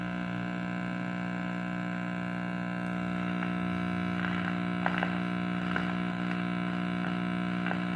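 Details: Early-1940s Trutone D1203 transformerless radio with folding chassis, powered up on the bench for testing: steady low hum with a buzzy edge throughout; filter capacitors suspected, not confirmed; crackling when tuning also noted.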